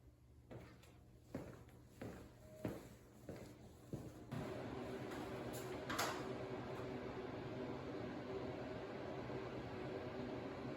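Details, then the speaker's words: DuraHeat 34,120 BTU electric workshop heater, new install, first run on high mode with the room at 42°F and the thermostat set to 65: a few clunks then a soft even fan rush, no rattle or squeal, putting out good heat; normal. "Oh yeah, it's putting out some good heat. So that is on high mode."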